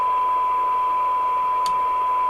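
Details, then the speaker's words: 1997 Jesan 88-900 CB27/81 UK FM CB base station revived from scrap, receiving a 1 microvolt test signal with the PLL running; full alignment still to do. Clean steady mid-pitched tone over faint hiss, no warble or dropouts; normal receive audio. "I think we're going to do this as a two-part because, yes, I can hear it, because the tune-up's quite complex on these."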